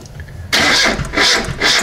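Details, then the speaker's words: VAZ 2107 carbureted, stalled while driving and wouldn't restart; after revival, starting with ignition timing set too early: harsh cranking, rough surging catches with sharp bursts, then timing retarded. Ignition timing too advanced. "Вот ребят признаки очень раннего зажигания смотрите я делаю позже зажигание смотрите вот так вот заводим всё"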